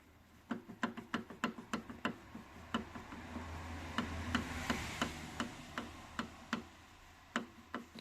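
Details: Mercedes Vito 639, knock felt in the steering wheel over potholes that persisted after replacing both tie rods: sharp irregular metallic ticks as the loose steering shaft universal joint is rocked by hand, worn steering cross joint needing replacement.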